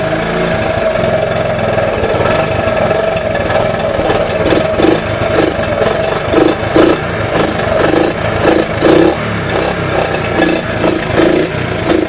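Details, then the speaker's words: 1983 Honda ATC 70, cold start after sitting more than 10 years, carb rebuilt, side cover off: the small single sputters with uneven putting and dips in the beat. Owner thinks it runs weak and suspects the carb needs Seafoam; weak running, unconfirmed. "sounds like I still sounds like it's running weed I'm probably going to have to run some seao through the carb"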